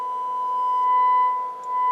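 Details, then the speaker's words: Low-hours 1970s Sansui 9090 receiver on the bench under restoration, speaker A on: steady 1 kHz test tone with buzzy overtones at double and triple pitch; left channel distorting, cause unconfirmed, possibly a dirty pot. "sounds like we got a distortion on the left"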